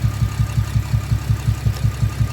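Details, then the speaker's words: Camaro with aftermarket exhaust at idle: uneven lope with a regular stumble about four times a second; cylinder one misfire with 99 counts, traced by swapping coils to a bad ignition coil. "There's number one misfire here at the top right that populated to 99 misfire counts. We just got a bad coil. Simple and easy."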